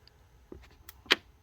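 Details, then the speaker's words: 2005 C6 Corvette, after shifter lock fix (fault was the microswitch, not the solenoid), accessory mode, door closed: short sharp clicks in the quiet cabin as the switch is touched; shift lock solenoid pulling in normally. "so now if we touch this now we hear it that's exactly what we want to hear"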